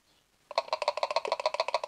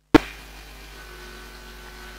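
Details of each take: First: 2013 VW Amarok 2.0 L diesel secondary/EGR coolant pump, removed and hand-shaken: loose rapid rattle, about eight clacks a second, versus the dead-quiet new one; worn or broken-up impeller straining the motor. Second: 2013 VW Amarok 2.0L diesel, new secondary (EGR) coolant pump activated with a scan tool after fault codes: steady low electric motor hum with faint whine, without the old pump's rattle: normal pump running.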